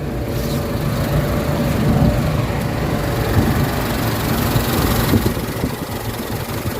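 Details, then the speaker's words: Mitsubishi Adventure petrol engine, warm, idling before XADO engine treatment, throttle delay and low power complaint; uneven lumpy low thrum wavering and sagging as if about to stall, rough shaky idle. "mainit yung guys, mga RPM. Medyo nangangatal yung kanta ng makina."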